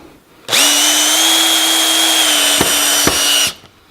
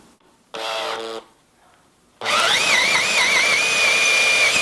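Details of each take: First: Cordless drill with clutch at 16, its maximum, driving a screw: steady whine never ratchets or breaks off, screw drives right through the timber; clutch never slips, screw overdriven. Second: Cordless drill on speed setting 2 (faster) drilling holes in timber: short burst then high steady whine rising slightly as it bites; normal high-speed drilling.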